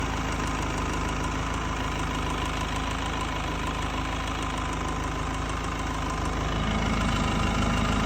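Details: Mercedes C220 W204 OM646 diesel at warm idle, DPF removed, EGR disabled, after replacing vacuum pump, fuel pressure regulators, filters, pulleys and belt: light, irregular tick about three per second over clatter; cause unknown.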